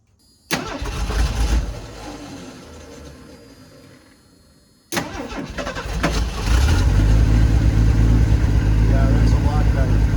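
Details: 1984 Ford F-250 revived after flooding, cranking on a jump box: starter spins the engine briskly with an even quick beat, a lot better than before; healthy cranking.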